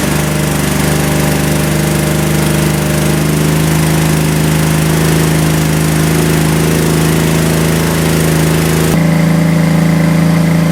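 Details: Craigslist generator converted to propane, after leak checks at the regulator and intake: a smooth, even engine drone with a steady tone and no misses or knocks, running healthy.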